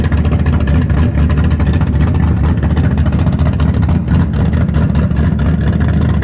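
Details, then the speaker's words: Karla's Camaro V8 started after the carpet and seat were fitted: a deep, lumpy rumble, strong and steady, with crisp throttle blips; it sounds healthy, a normal idle and rev. "pretty cool. Oh, it sounds so good."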